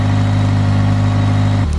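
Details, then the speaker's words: Mitsubishi Eclipse about 400 miles after rebuild: an even engine hum held at about 1500 rpm idle, too high, then dropping briefly; owner suspects the ISC needs resetting because the idle screw is misset. "Idle is still at 1500 RPM and I really shouldn't be, so I may have to do another reset the ISC, because I do believe that the bit screw is now not where it needs to be."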